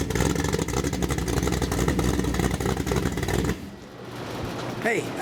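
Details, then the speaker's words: Ford 347 stroker small-block, 450 hp, Holley Sniper EFI and Holley distributor, for a 1967 Mustang, on a test stand with just mufflers: loud throaty burble rising cleanly with throttle, with no knocks or misfires. Normal revving. "that's what a badass engine sounds like when you got just mufflers on them."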